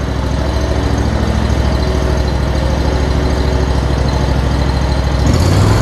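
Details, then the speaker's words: John Deere Z920M ZTrak mower just after 100-hour service (new oil, oil, fuel and air filters), restarted and fired right up; steady low idle thrum, even firing, no knocks or misses, runs good. "all right so we got it started back up no major issues runs good fired right up as you can tell"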